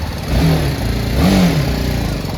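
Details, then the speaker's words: BMW 310 GS single after fitting replacement Amaron battery: fires straight away first try, a couple of clean revs, then a steady, even thump; healthy start. "भाई start हो गई है एक बार"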